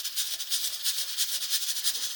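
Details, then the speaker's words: Pressure cooker with a weighted rocker just after the heat was lowered. A soft hiss and light, irregular rattle of the weight are calming down, showing pressure holding about right. "But as time goes on the the food inside your pressure cooker is going to warm up and it doesn't take as much heat to rock that"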